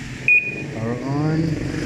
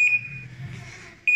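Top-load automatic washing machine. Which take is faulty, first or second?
second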